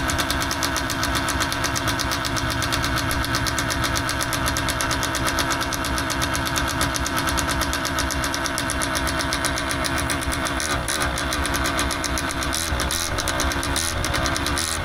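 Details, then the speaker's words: Paramotor two-stroke engine after new carburetor membranes fitted: small buzzy engine running unevenly at low speed, beat wandering and stumbling, wants to quit; owner suspects carb adjustment; unflyable, to be taken apart. "Yeah, just die. Might need to adjust carb. We just put in new uh membranes on there and uh still feels really weird on the low though."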